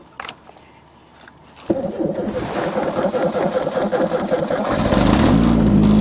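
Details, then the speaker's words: Chevrolet with 3.8 engine, cold start at about -16 °C: brief crank, then it catches cleanly and settles into a steady, rising idle; normal cold start. "wow what a car you can depend on your Chevrolet that's for sure"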